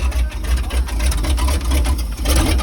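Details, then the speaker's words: 1977 GMC 6500 truck, 366 big block, first revival run with 454 spark plugs, leaking: deep lumpy loping idle with dips; rough running, likely down a couple of cylinders. "she sounds like she's got a cam on her but i think just because she's down a couple cylinders"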